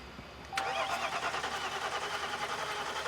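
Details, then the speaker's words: Diesel truck that won't start after the cab was lifted, with engine and battery codes: starter cranks with brief catching puffs but it never fires; fuel delivery problem suspected; crank no-start. "So, it cranks. It cranks. It sounds good, though. Okay. Crank it again. It's kind of trying to start."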